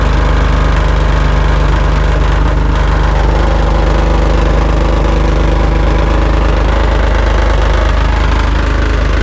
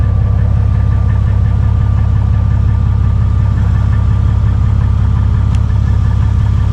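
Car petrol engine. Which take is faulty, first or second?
first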